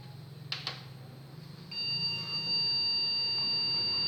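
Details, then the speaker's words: Acer H61 desktop PC at power-on with CPU fan spinning: after a couple of clicks a single long continuous POST beep with fan running; suspected failed previous processor, RAM also suspected. "dan Bu kondisinya bunyi beep panjang untuk pen prosesornya berputar ya Jadi kemungkinan bentukan prosesor yang sebelumnya itu rusak ya"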